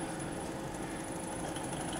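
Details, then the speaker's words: Servo motor in a closed-loop control system drawing about 18 A. A constant harsh buzzing drone at a fixed tone is a sustained 25 Hz oscillation from an unstable control loop, to be fixed with phase-lead compensation. "it goes it's gone off but taking about 18 amps there's a classic oscillation we'd say that was unstable even though it's a sustained oscillation of cord it stopped there it is"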